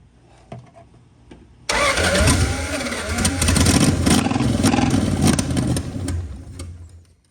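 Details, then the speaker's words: Dodge Dart project car with brand-new fuel pump, sending unit and lines: starter spins steadily about three compression beats a second but never fires; no fuel seen in filter or system, no leaks found; cranks but does not start. "Doesn't feel like there's any in the system or in the filter either. So sucks because that's a brand new pump, brand new fuel setting unit, brand new lines."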